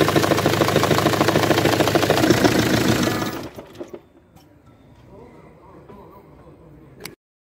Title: ATTENTION! Bruit moteur dû à CULASSE endommagée, moteur Ford monté sur une Jaguar X Type 2.0d